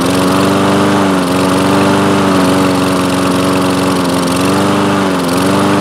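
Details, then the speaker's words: Toro Recycler mower with Kohler engine, long unused: engine speed rises and falls in a slow rhythmic hunt; improves with throttle held open or choke closed, lean surging from a dirty main jet. "well you see it's running of course and but surging and it improves when I either a hold the throttle open or close the choke plate forcibly close the choke plate so it sounds to me like it's not getting enough fuel"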